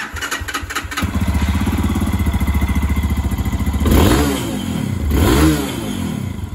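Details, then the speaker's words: New fuel-injected Lifan KPX 250 enduro in neutral: uneven pulsing idle, then two quick throttle blips that rise sluggishly and sag; hesitation from a misadjusted throttle body position sensor. "we got a little bit of hesitation there [Music] yeah like let's say if you're out in the woods you need to pull the front end up real quick yep that's real bad yeah"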